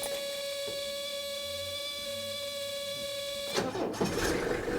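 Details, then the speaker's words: Older Mercedes OM617 turbo diesel, pre-glowed, no throttle: brief starter whir, fires within about two revolutions with good kick, settling into even diesel clatter; healthy quick start. "look at that maybe only two revolutions and it fired right up now did you notice that it fired right up with authority it didn't just kind of stumble and put a little it didn't sound weak it actually had some good kick to it"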